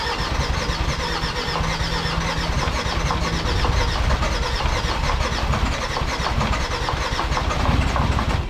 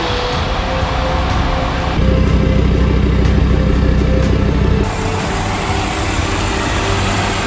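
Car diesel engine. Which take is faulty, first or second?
first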